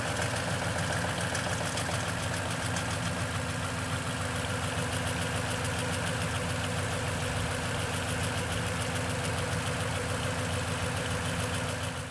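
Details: Cold-start idle on a 2010 Toyota Tundra with 165k miles and 5,500-mile oil changes all its life: a fast, loose metallic chatter of about three a second over the engine hum, suspected but unconfirmed timing chain rattle.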